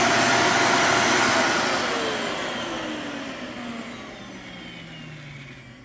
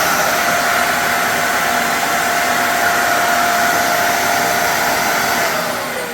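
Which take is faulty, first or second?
second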